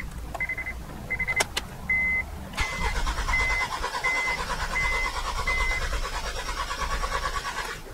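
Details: Six-cylinder engine with P0300–P0303 misfire codes, cranking while a scope checks relative compression, starter drawing about 229 A; about five seconds of steady, even cranking rhythm with no lopsided beats, compression even across all cylinders.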